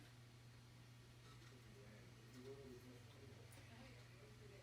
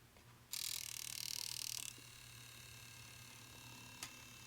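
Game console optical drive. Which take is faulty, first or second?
second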